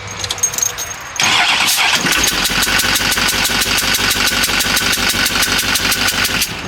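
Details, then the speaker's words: 6.6 L Duramax diesel newly installed in a Jeep Wrangler, running for the first time; it catches and settles into a sharp, loud puffing tick about three times a second over the idle. A fuel injector blew out because the new one wasn't sealed in right. "Sounds like crap, but it's running. So much quieter than my LLP7. Just blew that injector out."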